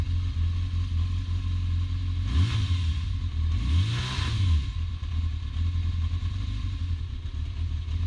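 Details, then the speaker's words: 1992 Yamaha XJ600 four-cylinder, 19,288 miles, still cold after about 5–9 minutes running in snowy weather: uneven stuttery idle with throttle blips; misfire, owner suspects arcing spark plug wires causing backfires and sputtering. "it's kind of stuttery a little bit, you know, stutters. Still a little bit cold."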